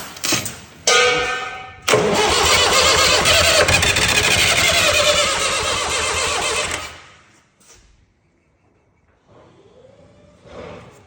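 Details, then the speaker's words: Fire-damaged Perkins diesel in 1989 Sambron D2000 telehandler, burnt in wiring-fault fire, started on WD-40 sprayed in intake; short cranking bursts, then a hard catch into loud rattly running about five seconds before dying. "going to put a bit of WD for you inside the St therez she she did sound a little bit dry"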